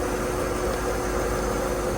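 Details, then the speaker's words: 1987 Marinette 32 flybridge, starboard inboard engine at 1,000 rpm after the shaft alignment via the motor mounts. An even drone with no shudder means the old vibration is gone and the shaft and propeller are not bent. "Guys, I'm telling you what, that right there is as smooth as butter. There's like no just barely any movement. And that's at I'm sitting at 1,000 RPM right there too, guys."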